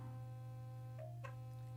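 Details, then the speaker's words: Sonicare HealthyWhite+ HX8911 toothbrush running with timer enabled: steady low buzz with a brief pitch change; normal quadrant timer cue to switch tooth surfaces. "right so it's on now you heard that brief tongue change indicating it's time to switch to a different surface of the teeth"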